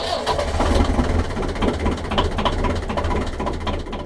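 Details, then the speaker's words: 1.5 BMC diesel narrowboat engine after new glow plugs, bled injectors, 10 seconds preheat: catches almost immediately and settles into a steady knocking idle; starts much better, slightly less smoke and less lumpy than before. "There we are, she starts up loads better now. Still a bit of smoke, but it wasn't as bad as it was before, and she seems to run a little less lumpy."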